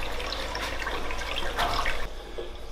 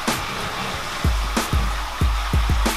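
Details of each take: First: Newly filled Cade Pro Reef 1200 aquarium sump drain: smooth, steady rush of water with a light trickle, no gurgling or surging, quiet even flow. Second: Aquarium sump drain on a newly filled tank: irregular glugging bursts about twice a second over running water. The fix is to adjust the gate valve on the main drain line until the gurgling stops.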